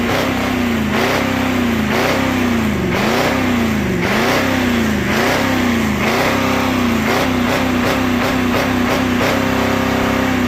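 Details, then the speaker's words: 1985 Ford F250 6.9 IDI naturally aspirated diesel, manual, in neutral: clatter blipped repeatedly, revving freely and cleanly up to the governor and dropping back each second; smoky, runs but truck won't move. Normal free revving. "It's got a governor. There ain't no mosquitoes in the next 30 mile radius, but it has a governor for a reason, right?"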